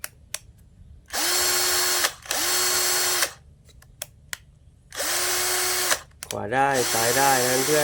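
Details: Electric drill that kept spinning then stopping, tested after disassembly, rewiring and reassembly with battery; three short bursts of smooth, even motor whine spinning up and winding down cleanly, running normally.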